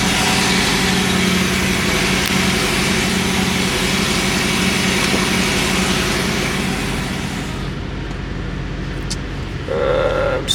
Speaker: Put on the brake. Damn, that sounds good. Not bad.